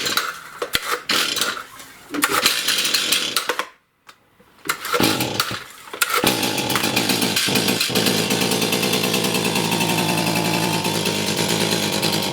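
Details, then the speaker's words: Stihl MS291 chainsaw with no power that won't rev; the ragged, sputtering two-stroke fades and dies after brief blips, then drones unevenly without revving cleanly; cause is a carbon-clogged spark arrestor screen, fixed by burning off and wire-brushing the carbon. "This thing runs really poorly. I've actually never had one of these run this bad in my shop."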